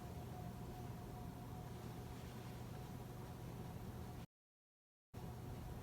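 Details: 2004 Casablanca 19th Century 54-inch ceiling fan, XLP-2000 motor, Inteli-Touch control, two-blade configuration: quiet steady low hum with faint thin tone, ceasing immediately when turned off; owner unsure of cause, suspects electrical noise.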